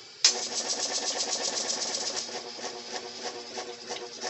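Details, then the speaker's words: Hard-starting air compressor motor on an inverter limiting current at about 1760 W (1800 W surge): strained low hum surging and sagging about once a second without spinning up; inverter too small, motor fails to start. "did you hear that it it tries and it keeps trying oh almost it and the inverter doesn't give out that's the nice thing"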